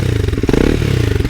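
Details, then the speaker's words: Triumph Scrambler 400X single with a brand-new replacement engine, just collected from the garage. Crisp, even single-cylinder pulses rise smoothly as it is revved, with no knocking or rattles. A healthy engine revving cleanly. "That is the sound of a brand new engine in my Scrambler 400. Just picked it up from the garage today. It's looking great, it's sounding great."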